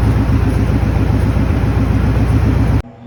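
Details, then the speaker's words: Maverick engine after a belt squeak suddenly went away: steady low idle burble at even pace for about three seconds before shutoff; running normally. "Okay, so the belt squeak went away all of a sudden. Don't know why, but seems to be running good now."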